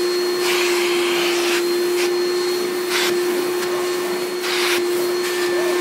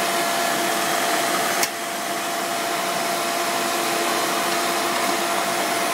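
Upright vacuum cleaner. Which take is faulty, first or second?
second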